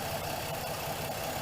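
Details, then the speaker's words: 2007 Pontiac G6 after high-pressure power steering hose replacement and bleeding: steady, even idle with no whine or groan from the pump; air is purged and the pump runs quiet and healthy. "you hear that hopefully you can hear that it's running and you can't hear the pump so it's good to go"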